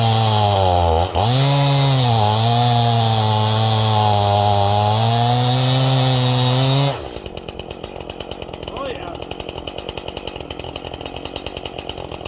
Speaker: Cutting, it loads up. You can hear it kind of start bogging, like it's loading up, and she's cutting good. Definitely throwing some decent wood chips, a lot better than it was.